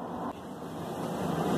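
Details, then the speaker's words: Car wheel bearing in removed steering knuckle, hub spun by hand before replacement: rough, gritty rumble swelling as it spins, said to roar like a jet turbine above 60-70 km/h; worn wheel bearing rumble. "tá vendo aí galera isso aqui é o rolamento isso aqui quando passa de 60 galera 60 70 km por hora isso aqui fica um voou tão grande que parece uma turbina de avião na hora que o avião tá saindo do chão aquela velocidade entendeu"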